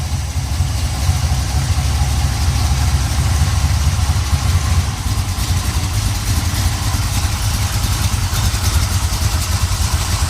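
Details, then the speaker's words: 1970 Pontiac Trans Am 469ci pump-gas stroker, Lunati hydraulic roller cam, Johnson hydraulic roller lifters, Performer RPM intake, 850 Holley: steady lumpy idle about 700–750 rpm, slight exhaust cackle, no lifter noise; healthy. "I mean, sometimes you hear the exhaust cackling a little bit, but there's no lifter noise. Idling probably about around 700, maybe 750."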